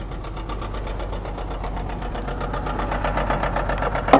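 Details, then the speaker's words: Chrysler 300M engine that needs motor repair: sharp, evenly spaced deep internal knocks ride over the idle and grow a little louder toward the end. "it runs well everything works on it so let's start it up you can hear the noise there so we'll go right to that"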